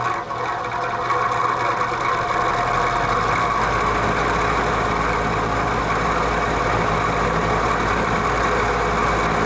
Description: It is a issue with the rear thrust washer. If I tilt the fan down the noise goes away. Tilt the fan back it gets nosier.